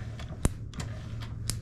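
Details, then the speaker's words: Old Honda CA160 Benly motorcycle, spark test with new plug grounded while engine turned over; few sharp irregular snaps over quiet background, spark jumping; possibly checking wrong cylinder's plug or plug not grounded. "I can hear it snapping it could be that I'm on the other uh plug so let's go around again or maybe it wasn't grounded"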